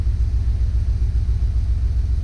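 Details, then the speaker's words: 2008 Jeep Wrangler at idle with a flashing check engine light: deep, lumpy, uneven misfire. Codes P0300 and P2305 (ignition coil 2 secondary). Owner's new coil, plugs and wires did not help; cause was a faulty ECM coil 2 driver. "i already see the p the checking light on or not on but flashing that means the car is misfiring the the engine is misfiring"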